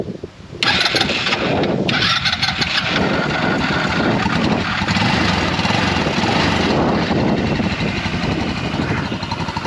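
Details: Yerf Dog Rover 150cc UTV with a GY6 engine after rewiring the 12-volt ignition. Starter catches after half a second, then a steady, even single-cylinder putter with no misses.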